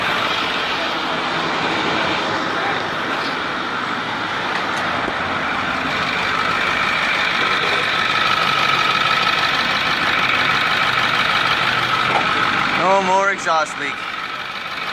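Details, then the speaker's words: 2010 Ford F350 6.4L diesel after repairing exhaust leaks at both manifolds: a steady, quiet, even idle with no ticking or puffing, then a few revs that sound much better. Normal idle. "nice and quiet let's rev it up a few times here that sounds way better"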